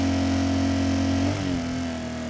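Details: Repaired Kipor KGE 1000Ti inverter generator, warmed up, near full load (THD 2.3%), including a sudden load: the hum dips in pitch as the load comes on, then settles evenly without hunting. Normal running under load.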